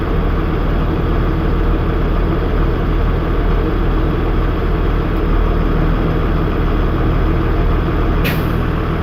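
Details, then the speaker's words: Air-brake truck idling during a CDL air brake leak down test, pressure building to governor cutoff (120-140 psi): steady low diesel idle, then a short sharp hiss of air near the end as the governor cuts out, normal operation. "Alright, I don't know if you've just heard that, but that is actually our air regulator for the governor cutoff."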